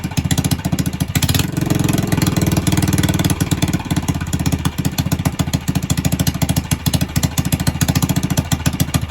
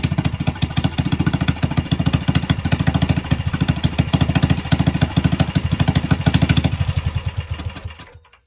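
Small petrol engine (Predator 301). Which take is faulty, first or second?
second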